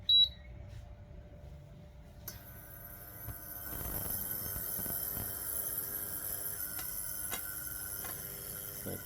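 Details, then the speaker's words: Bluestone or Kangaroo induction cooktop that shuts off after running a while: short beep, then a thin high electronic whine and faint ticking, with no cooling-fan sound; fan possibly dead, causing overheating, suspected. "แล้วสังเกตว่าไม่ครับไม่มีเสียงพัดลมทำงานเป็นไปได้ว่าพัดลมตัวนี้เสีย"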